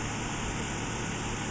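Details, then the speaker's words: Four-year-old Ruud heat pump outdoor unit beside the bedroom wall, barely audible from three feet away: steady even fan and compressor whoosh with no knocks, rattles or squeals; running quietly and normally. "I literally put my head to three feet away from this unit I could barely hear it run you"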